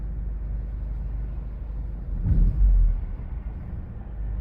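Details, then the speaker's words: Audi A4 with rough idle and stalling, rough on throttle, after a highway drive: low uneven idle rumble lurches up then sags and wavers, nearly stalling before being shut off; cause not yet known. "it almost died right there I'm going cut it off look what the hell it's like it wants to die so bad"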